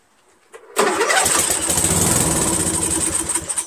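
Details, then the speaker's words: 13hp Briggs flathead on MTD Cub Cadet lawn tractor, sprayed with parts cleaner in the intake, no air filter: catches sharply, runs rough about three seconds, then dies; carburetor dirty, fuel probably not getting in. "nice you know this means carburetors dirty of course we know the car is dirty because it starts with hard cleaner but it doesn't start regularly which means that fuel is probably not getting into the carburetor"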